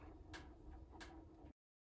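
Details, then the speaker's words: Buck wood stove with no grate in the firebox, fire getting going: sharp metallic pings about two-thirds of a second apart over a low fire rumble, speeding up as the metal heats. This is normal heat-expansion ticking. "if you listen real closely you can hear the pinging of the metal expanding in the Firebox and now it's really starting to go you can hear that pinging increase in speed"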